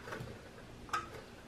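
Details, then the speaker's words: Ninebot Mini Pro 9 V hub motor, wheel turned slowly by hand: faint uneven light ticking; loose torn part inside motor catching wiring. "okay so this is a mini pro motor a 9 volt mini promoter and i want to show you it has a noise by the way someone tried to change one of the connector never mind but it has a noise and i will show you what is the cross and how to fix it"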